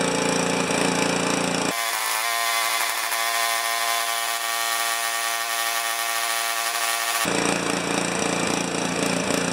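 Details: Honda HS720 snow thrower single-cylinder engine, running out the last of the old gas: labouring unevenly at about three to four pulses a second with a surging note; rough running, and the drained fuel shows no water.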